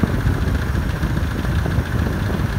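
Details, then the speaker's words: 2003 Ford Explorer XLT 4WD, 4.0-liter six-cylinder: steady deep idle with a light, quick tapping riding on the firing beat; engine tapping at idle, mechanic unsure of the source. "This one, it does have an issue. I mean, it makes sort of a tapping noise."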